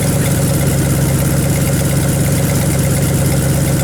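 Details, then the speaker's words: 1978 Chevy Silverado 20 pickup engine, previously seized, first run after adding coolant: a deep, steady V8 idle with an even rumble and no misses or knocks. Slight smoke comes from penetrating oil burning off the exhaust manifolds. "guys this thing is idling so good got fluid moving around in the radiator"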